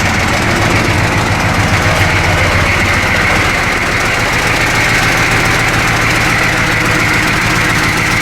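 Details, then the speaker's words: 1985 M1028 CUCV (militarized diesel K30), GM 6.2L diesel, idling with loose uneven metallic rattle over the clatter; loose, crooked, low-hanging exhaust brackets rattling, before fixing. "oh that sounds terrible we got loose brackets listen to that that sounds terrible"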